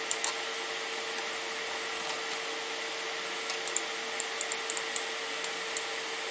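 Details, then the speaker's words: Radeon RX 570 graphics card's single fan at high speed under gaming load, custom curve 80% from 40 degrees: steady airy whoosh, constant mid-pitched hum, few light clicks; normal fan noise. "You're going to hear that fan spin up and you'll hear the noise from it, which doesn't bother me. I'd rather have a little bit of noise and a fan that I know is running than to have nothing at all."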